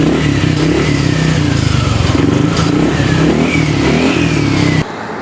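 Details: Yamaha Aerox scooter after replacing a very dirty, carbon-fouled spark plug (it had misfired and died when throttle was opened): the engine revs up and settles smoothly, no stumbling, popping or cutting out.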